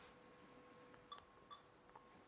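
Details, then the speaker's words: Pentium 4 PC with PCI video card, fan spinning, drive checking, no display on VGA or DVI: two short high beeps half a second apart over faint fan hum; two-beep POST error, cause suspected, not confirmed. "now two beeps sometimes it's only one normal beep now it's two beeps but i guess it's because i've got a pci video card"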